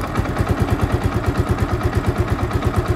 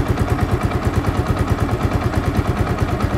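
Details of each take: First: Yamaha Vixion that would not idle and kept stalling, after cleaning the switch contacts: slow, steady single-cylinder thumping, about three pulses a second, barely holding on as the idle adjustment is turned down. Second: Yamaha Vixion that would not idle and kept stalling, after idle screw raised again: steady single-cylinder thump at about three beats a second, even with no stalling or surging; idle now holds properly.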